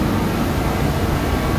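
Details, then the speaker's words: DeWalt torpedo heater that would not light and spat fuel, after the pressure was adjusted: steady, even burner roar with a low rumble and no sputter or popping; now lighting and running normally. "adjusted the pressure of this a little bit more everything seems to be running okay now"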